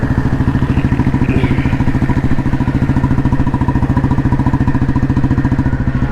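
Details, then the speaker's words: 1986 Royal Enfield Bullet restored, heavy-crank engine with Indore silencer and 3-plate clutch, on-road test ride cruising: even, steady single-cylinder thump about three and a half beats a second, smooth and unbroken; healthy exhaust note, bike flowing along well. "ഇത് നോക്കട്ടോ, ആ ഒരു നല്ല ഒരു എക്സോസിൻ്റെ ഒരു നോട്ടും കറക്റ്റായിട്ട് വണ്ടി റോഡിൽ കിടന്നിങ്ങനെ ഒഴുകുകയാണ് വണ്ടി കേട്ടോ."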